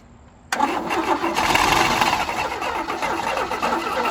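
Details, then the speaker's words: Abandoned 1977 Chevy Camaro on booster with carb cleaner: fast, uneven cranking with weak catches that never take hold. "You know, we probably might not have fire. Maybe not. Maybe the battery's getting a little bit low from cranking."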